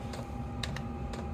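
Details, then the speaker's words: Chinese diesel parking heater on a 12 V supply, running in manual mode in cold weather (about 32°F): soft fuel pump ticks about every half second over a steady blower hum. The pump has been fixed twice. Normal ticking. "just running it on manual one fuel pump still running same fuel pump that I'd fixed twice now"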